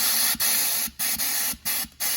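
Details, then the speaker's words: Dodge 68RFE transmission with a persistent no-reverse fault, air-checked on the bench: sharp hissing air bursts, four or five in two seconds, pour out of the low/reverse clutch circuit, which doesn't hold pressure at all. This is the cause of no reverse. "It doesn't hold at all. So we found the problem of why it doesn't have reverse."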